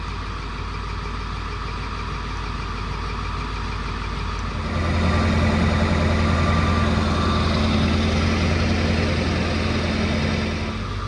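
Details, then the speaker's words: 2002 Ford F250 7.3 diesel, 213,000 miles, running rough and smoking: clatter at raised test speed with uneven lumpy beat; injector 7 buzzed weak, cylinder 8 contribution code, P0476; harness on that side suspected. "So what I'm honestly thinking, I'm probably going to be going after 7 sounded weak, so we're going to go after that side immediately."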